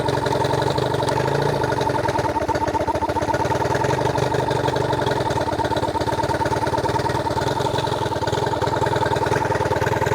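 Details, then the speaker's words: New Hangkai 18hp two-stroke outboard, first run after a year stored, on water muffs in neutral: quick, even buzzing putter holding a steady beat with no misses or knocks. Normal idle. "The outboard did run after sitting in my garage for a year. That's pretty impressive, especially considering that it fired right up after sitting."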